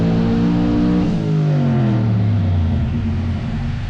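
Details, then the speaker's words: Boosted S10 truck on dyno after adding 4 more pounds of boost: engine note falls steeply and turns rough partway through a hard pull, a cylinder (number 8 suspected) going down; too much boost, not enough timing and fuel suspected. "That sounded promising, boys. That sounded promising. It went down. Oh shit, it went down. She went down, Jesse. Because they had too much boost."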